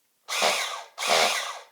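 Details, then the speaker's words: Team Associated RC10GT nitro engine spun on a starter box with reversed polarity, no spark plug, fuel or oil: two short bursts of smooth, even whirring with no catches or binding. The engine turns over freely. "there we go so that's right we need it nice and easy so it fits lovely on there turns over lovely there's no spark plug in it"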